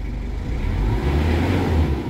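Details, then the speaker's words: 2012 Mazda BT-50, 2.5 TDI diesel (same as Ford Ranger) with mechanical injection pump, 135,000 km, all warning lights normal: starts and settles into a deep, steady, dry, smooth rumble, no knocks, rattles or limping; healthy idle. "Oke kita coba dengarkan suara mesinnya mesin sangat garing mesin sangat mantap pemirsa tooksare tidak pincang"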